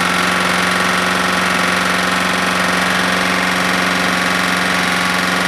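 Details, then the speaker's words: Smoking Husqvarna lawnmower single-cylinder engine burning very thin black oil, suspected past the rings; running flat out with a hard regular knock about three a second under the exhaust buzz; owner suspects a bad connecting rod. "uh what i'm thinking is it's got a bad rod there's a lot of slap in there"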